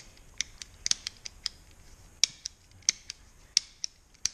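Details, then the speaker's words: 2009 Honda CBR600RR ABS turn-signal switch after cleaning to fix flasher delay: crisp sharp clicks with no drag or mushiness, much better action than before; clean positive switching. "clicks Much better than it was just 2 seconds ago."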